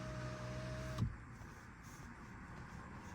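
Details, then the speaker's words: Mopar driver power window commanded through door module via Topdon TopScan Bluetooth OBDII scanner: steady motor hum about a second, then soft thud as glass closes fully; window motor working normally. "so it's on the actually in the door module where you can put the window down see Window Control"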